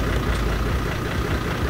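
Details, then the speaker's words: New 4WD build Sooty Mark II on Tasmanian tracks, after diffing out in a deep rut and an oil issue spotted: heavy diesel idle with a rough, uneven clattering rattle in the low rumble; engine rattle, cause unknown. "What's that sound? It sounds rattly, yeah. Yeah, that doesn't sound good."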